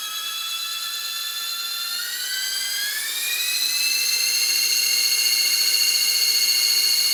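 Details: RC helicopter spinning up, with main rotor shaft, motor, main gear, tail drive gear and tail pitch bearings already oiled: piercing steady whine climbing in pitch then holding; high-pitched whine, source unknown.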